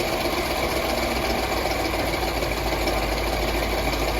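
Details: Land Rover LR4 running during a combustion-gas (block) test drawing gases from the coolant side: loud, uneven, lumpy, shaky idle with no steady rhythm; rough idle, cause not confirmed.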